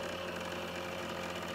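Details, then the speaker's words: Trotec dehumidifier, about a year old, that has become noisy over time: steady droning hum with a buzzy, vibrating edge. The noise comes and goes intermittently. "they start making well quite a bad noise let me demonstrate it i'll show you how to fix it because i bet a lot of people have this proper soap you can hear it you can hear it sometimes like"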